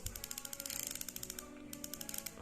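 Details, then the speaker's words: Ryobi Alert SS-500 baitcasting reel: crisp, even ticking about ten clicks per second when handle turns forward; normal, healthy clicker. "ก็หมุนเดือนหน้ามีเสียงแบบนี้เลยนะมีอะไรให้เล่นบ้างตัวนี้ที่เหน็บสายหมุนเดินหน้ามีเสียงแบบนี้ครับ"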